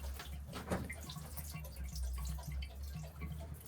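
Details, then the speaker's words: Shallow well pump being shut down for winter: pipes drained and air let in, pump body draining; low, uneven gurgles and drips as water runs out of the pump body, normal draining during winterizing. "I think you can hear it gurgling"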